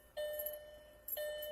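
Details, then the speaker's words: 2000 VW Jetta 2.0 four-cylinder, after a fix for stalling and no-start (P0231 code): door chime gives two clean, bright tones about a second apart, fading evenly; working properly. "And your door chime should work."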